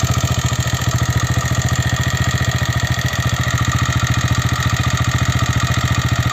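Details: TVS Raider 125 motorcycle after about 5,000 km, engine noise complaint; a steady idle with a sharp, even tapping about three to four times a second over the low thump. The source is abnormal and the cause is unconfirmed.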